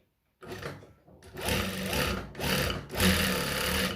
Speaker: Nah, ini mesinnya ini berisik banget ini nih. Jadi ini memang banyak yang longgar ya.